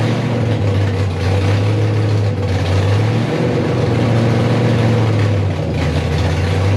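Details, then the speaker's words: Rebuilt 5.3 V8 in a 260Z on first start, fuel leaks fixed, coolant added, 80 psi oil pressure: deep, uneven rumble that lopes and stumbles with occasional pops; rough misfiring idle, owner suspects the lope, cause unknown. "Got a hell of a lope, which is maybe one of the reasons it won't idle."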